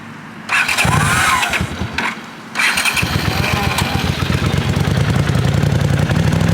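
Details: 1979 Honda CX500 twin, first start after sitting about 5 years, carburetors rebuilt and electrics reconnected: starter churns, engine fires, blips once, then holds a steady even idle without stumbling; normal start and idle.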